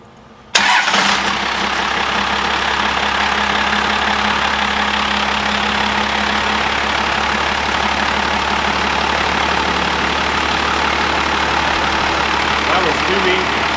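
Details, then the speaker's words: Old 12-valve Cummins diesel run on the shop floor via jumper wires: fires instantly and settles into a steady, even idle with clean rattle and no misses; healthy engine. "it really didn't take long it was crazy how that thing fired so good that's why they are like the small block of the diesel world"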